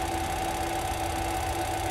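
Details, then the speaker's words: Yuasa TH550B-2 550 W industrial sewing machine servo motor, pedal-controlled at about 300 rpm with light press and 500 rpm deeper: smooth, even hum with steady mid and high tones, no knocks or scraping; running normally. "Ini 300 ketika pedal dipencet sedikit. Ketika pedal ditekan lagi lebih dalam, 500 rpm."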